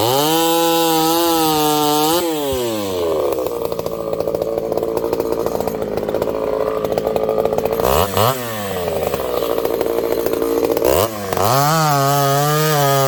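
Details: Ported Homelite 922 chainsaw after clutch and fuel line fix and cooler heat-range plug, cutting very hard wood with punky spots: crisp strong two-stroke scream bogging evenly into the cut, recovering cleanly between passes; healthy under load.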